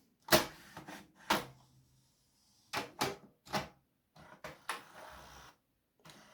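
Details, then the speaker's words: HP Photosmart 7260 inkjet printer (2003), tested after cartridge and paper feed repair including adjusting a part by about two millimeters; motor whir and roller clunks pull the sheet through without slipping: normal paper feed. "It feeds paper! Haha. What the... It feeds paper, so that's something weird. It never did that before."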